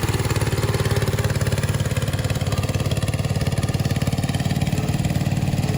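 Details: Restored 1968 Bolens Husky 775 hydrostatic garden tractor with swapped Hatz 1B30 single-cylinder diesel, mowing with deck engaged: steady even thump at constant pace holding firm under mowing load; normal running under load.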